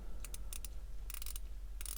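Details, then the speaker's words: Aquatico Dolphin 39mm NH35 dive watch: short bursts of soft, mushy clicks as the stiff bezel is forced round, no crisp detent snap, with a lot of back play so it must be turned one past and pulled back. "it's loosened up over the past couple days and keep playing with it but it doesn't really have very positive clicks god it's tough and it does line up but there's a lot of back play so you have to put it one past and then pull it back"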